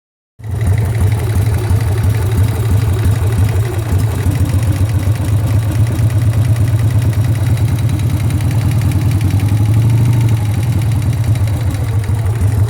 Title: Sportster engine knock